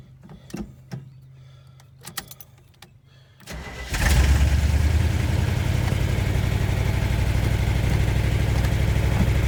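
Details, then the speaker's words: 1977 Chevy C10 with a factory 350 V8 and three-speed column manual, off the road since 2016, cold start: a few clicks, a short crank, then it catches and settles into a strong, steady fast idle on choke; it runs well. "don't run away on me it will kick off choke once it warms up"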